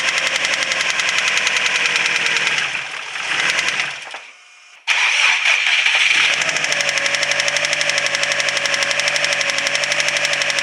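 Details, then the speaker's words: Subaru WRX STI: starts, stumbles and nearly dies, then catches again, with a severe, fast, sharp ticking at about four per second. It keeps losing rpm and dying; with a stethoscope the tick is heard all over the engine. Cause suspected, not confirmed. "so as you saw and heard it it starts up okay it seems like it idles okay it's got a severe ticking noise in it and then it keeps losing rpm and dying"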